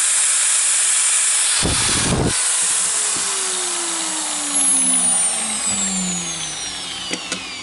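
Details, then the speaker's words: Milwaukee AGV 15-125 XC angle grinder after replacing the faulty controller unit (was not regulating motor RPM) and carbon brushes: high steady whine and hiss holding speed evenly, then smooth pitch slide on spin-down; in good working order. "Seems like in good working order. So that was the controller unit, not regulating the RPM of the motor."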